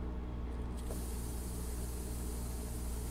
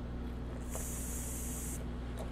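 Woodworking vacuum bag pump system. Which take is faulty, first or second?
second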